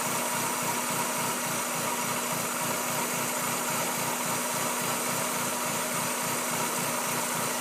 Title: 96 Miata 1.8L rough idle